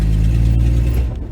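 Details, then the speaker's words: 1966 Dodge Dart GT, Slant Six 225, automatic, on a short test drive: low heavy drone sags and stumbles as throttle comes in; engine bogging, owner suspects timing or carburetor accelerator pump, unconfirmed. "yeah it's already bogging again get here i'm just gonna park it because it's already bogging here"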